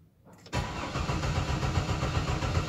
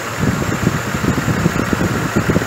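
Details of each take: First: 2005 GMC Envoy 4.2 with misfire, cranked with ignition on and throttle floored: starter turns engine at even beat of about three or four pulses a second, no lazy strokes; compression even. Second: 2005 GMC Envoy 4.2 idling unevenly with low thumps and stumbles: the misfire code moved from cylinder 2 to 3 after swapping coils, and that coil stays hot, so a shorted ignition coil is suspected.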